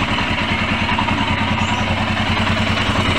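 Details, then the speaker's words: Royal Enfield single with a starting problem, after injector, filter and fuel pump cleaning, relay replacement and an oil change: steady, even idle thump with light top-end patter, no knocks or misses; smoother and quieter than before. "suaranya lebih smooth lebih halus"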